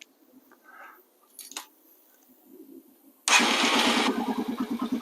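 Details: Yamaha TW200 single that had sat for a while, first start after fresh fuel, a new fuel line and a charged battery (air filter looked fine): quiet, then it catches on the first try and settles into a steady, even thumping idle. Healthy start.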